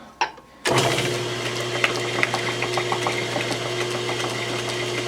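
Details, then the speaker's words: Lathe flat belt with splice covered in heat shrink tubing to quiet it, running fairly quietly and smoothly with a steady low hum after the fix; belt held by hand, some noise from the ball pen inside. "there we go Fairly quiet and I'm just holding it by hand so I'll shut it off and shut the door here"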